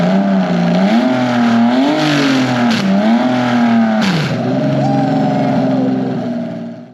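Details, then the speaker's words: Datsun 240Z with Nissan VQ37 (370Z) engine swap, after park/neutral switch bypassed with direct 12 V signal to ECU: starts and idles smoothly, pitch climbs and falls cleanly on throttle blips; normal running and revving. "we got it running that's the cool thing it runs it starts"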